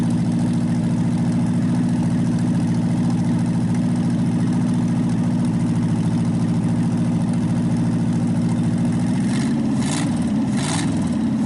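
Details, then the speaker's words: Packard 374 cu in V8 after draining overfilled oil that had reached the carburetor and intake, warmed up: even, steady idle with smooth low rumble, no skips, on all 8 cylinders, though still smoking; normal idle. "It's running good now. It actually quit skipping. It's running on all 8 cylinders."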